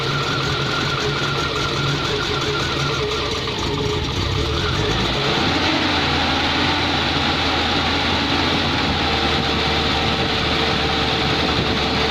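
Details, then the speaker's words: Dacia on a 4000 km road trip, morning start: engine runs with an uneven, lumpy beat that settles lower after about five seconds; rough running on cold start, cause not known. "She's a bit grumpy this morning, isn't she?"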